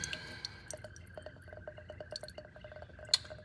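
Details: 1957 Buick after fitting replacement intake manifold with welded-up exhaust crossover: irregular soft drips, a few per second, as fuel leaks from the carburetor with the float stuck open; freed by tapping the float.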